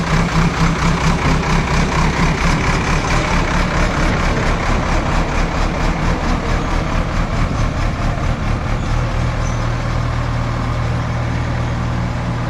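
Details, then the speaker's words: JCB backhoe loader diesel test-digging into a pit after the fuel line was bled, checking for the earlier cutting-out. A deep, steady rumble with an even beat holds speed through the work without stumbling or dying. Running normally under load. "അതെ, അപ്പോൾ നമ്മുടെ വണ്ടി വേറെ കുഴപ്പമൊന്നുമില്ല, of ആവലും കാര്യങ്ങളൊന്നും ഇല്ല."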